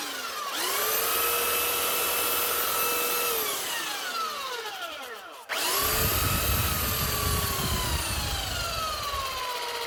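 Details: Makita 9911 belt sander from 2000 after fitting a new drive belt (old belt broken): motor spins up to a clean, steady whine, coasts down smoothly, restarts evenly with no slipping or rattle; running normally.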